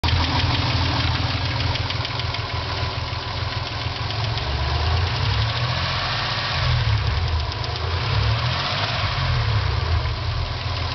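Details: 1995 Dodge Stealth SOHC idling with a light, fairly quick tick over its low rumble; the cause is unknown.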